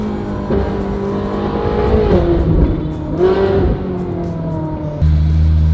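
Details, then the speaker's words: Ferrari 458 GT3 on a light test in the rain, after work on a low-end misfire (owner suspects the ignition coils or air): clean V8 through rising and falling revs, no low-end stumble or popping; healthy running. "I think we solved it."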